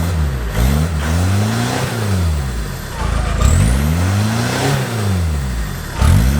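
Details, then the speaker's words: Peugeot 306 Meridian 2.0 HDi with a new custom stainless exhaust with extra boxes, engine bay squeaking from rain: several blips falling back with a deep, even rumble, no puffing or ticking leaks; normal exhaust note. "the squeaks because it's been raining in the engine bay just got a nice rumble to it it's good i like that"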